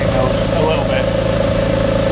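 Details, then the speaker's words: Porsche 911 996 Tiptronic after a gear selector wiring fault causing no-start was fixed: smooth, even idle with steady hum, no knocks or stumbles, some smoke from one bank, thought to be raw fuel from long cranking; normal idle. "And that is what success sounds like. She a bit smoky. Yeah, she's a bit smoky."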